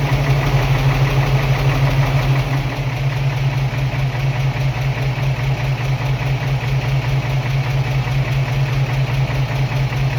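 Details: 1978 Toyota FJ40, first start after a spun bearing: even, steady idle with a regular low pulse and no obvious knock; normal idle.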